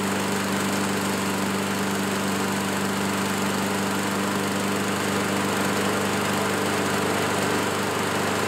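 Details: Curb-find Craftsman self-propelled lawn mower running well while cutting small growth. Even, steady drone holds constant speed under cutting load with no misses or surging. Normal running.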